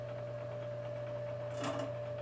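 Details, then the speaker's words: Bridgeport mill after a drill bit bound in steel: steady motor hum with a fast chattering rattle over it. "the spindle seems to be working properly I'm just getting that kind of Rattata tat noise"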